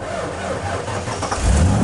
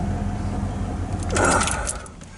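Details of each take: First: Truck that wouldn't start, after the owner reset a switch behind the passenger kick panel, cranks slowly and sluggishly for over a second before catching and running fine. The starter drags; a mechanic couldn't find the cause, which is unconfirmed. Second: Truck that suddenly wouldn't start and had to be pushed home, now running fine after the owner reset a switch; earlier the starter dragged slowly. Steady, even low rumble, then handling noise. Mechanics couldn't find the cause and it may recur.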